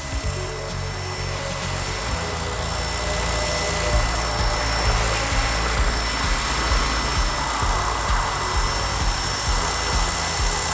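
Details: ALZRC Devil 420 RC helicopter after fixing tail wag and whole-frame shaking: steady high motor whine and even rotor beat under music, no pulsing; tail now holds smooth and steady.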